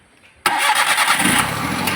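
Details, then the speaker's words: Maruti Suzuki Alto with low pickup, after distributor work with alignment marks: engine starts instantly and settles into a steady even idle near correct rpm, the earlier heavy vibration now reduced; running normally. "നമ്മളിപ്പോ start ചെയ്യുന്ന സമയത്ത് ഒരു പ്രത്യേക ഒരു കാര്യം ശ്രദ്ധിച്ചു നേരത്തെ നല്ല രീതിയിലുള്ള വൈബ്രേഷൻ ഇനിയിപ്പോ ആ വൈബ്രേഷൻ കുറഞ്ഞിട്ടുണ്ട് ഏകദേശം കറക്റ്റ് ആർപിഎം ലോട്ട് ഇപ്പോൾ വണ്ടി ഇന്ന് നിൽപ്പുണ്ട്"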